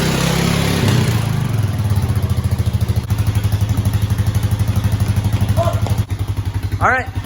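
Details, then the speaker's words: 2000 Honda Foreman 450 ES ATV, 618 original miles, after petcock replacement; idling with steady even low putter about three beats a second, no knocks or misses; running good, no issues. "got this honda foreman 450 es it's electric shift obviously electric start running good no issues there"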